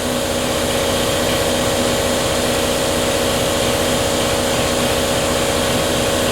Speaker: Boy, that compressor sounds healthy.